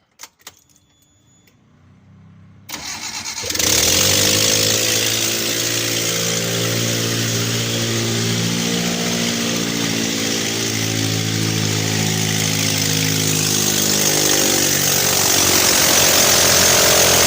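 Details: Chana Star with a blown head gasket: starter cranks steadily at about four beats a second, but the engine never fires.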